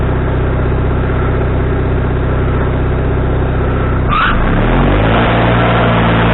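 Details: Wood-Mizer LT40HD sawmill engine with a new carburetor, after further adjustment: a steady, fast-pulsing run shifts down partway through, then holds even; a brief surge settles, though the needle may need another half turn.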